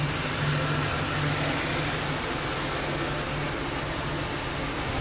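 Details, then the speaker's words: 2006 Grand Prix after engine swap, exhaust crossover resealed with RTV, burning off oil and RTV: smooth, steady, quiet idle with an even low hum, no ticking or puffing; exhaust leak fixed, running great. "all right you guys we got our running nice and quiet no more exhaust leak really quiet it's been burning off the oil and burning in that RTV it's running great"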